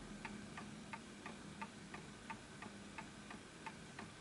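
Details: Antique Enfield Westminster-chime mantle clock, fully wound: crisp ticks at about 88 per minute, close to even but not perfectly spaced; nearly in beat.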